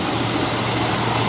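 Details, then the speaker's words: 1957 Lincoln Premiere, 368 cu in 300 hp V8, just restarted after sitting unused for six months. The idle is smooth and steady with only slight valve ticking, which the owner says is common after long storage. Normal idle. "here we are ticking away if you guys can hear it but it sounds pretty smooth right now"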